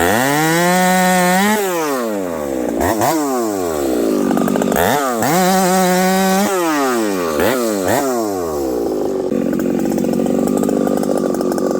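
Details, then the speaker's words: Husqvarna 371XP with a pop-up piston and 28-inch bar, in hardwood at about 35°C: after an underbuck the saw screams up, sags and surges instead of returning to idle, going lean; a dirty carburetor is suspected, not confirmed. "then I do an underbuck the saw goes randomly lean and will not return back to idle um I don't know what the deal is maybe there's something going on with this carburetor"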